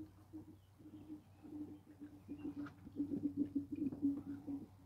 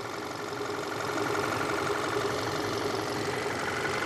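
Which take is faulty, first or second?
first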